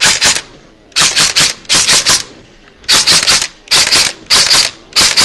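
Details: Echo1 Troy airsoft gearbox with 16:32:1 speed gear set, re-shimmed to one shim and motor raised slightly, semi-auto test: crisp, even cycles in clusters of three to five, no high-pitched whine; good trigger response; normal cycling.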